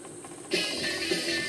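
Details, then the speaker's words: Philips-branded BSR record deck (Philips NG 5159), dirty and very seized, not indexing for records: dry rub with clatter about twice a second as deck turns; mechanism binding and stiff, needs cleaning and lubrication. "Well, it's all very seized and it don't really want to go. Oh. That's no use. It's not measuring the records. Oh. Don't know if you can hear that. It's now got a rubbing clattering sound."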